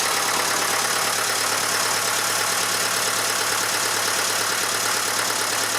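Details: Massey Ferguson 35 (835) tractor with Standard 23C diesel, started after at least a year sitting: steady, even idle with no misses or knocks; a bit of blow-by expected for an engine this age; normal diesel idle.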